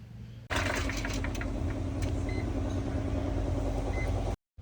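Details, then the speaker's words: Foton Traveller van with Cummins diesel at 200,000 km, checking shake at shutdown: steady diesel idle then a clean cutoff with no shudder or clunk; smooth engine shutdown. "Inobserbahan ko yung alog kapag pinatay na yung makina."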